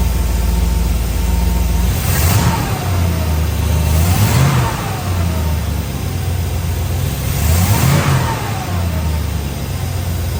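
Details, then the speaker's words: 1962 Chrysler New Yorker during tune-up after adjusting carburettor idle and fuel-air mixture: engine blips several times and settles to a steady even idle with no misfire; now purring. "I mean, seriously, I just adjusted the idle a little more, kept messing with the fuel air. She's purring now. Cool. I was sitting there starting to get pissed too, but she sounds good."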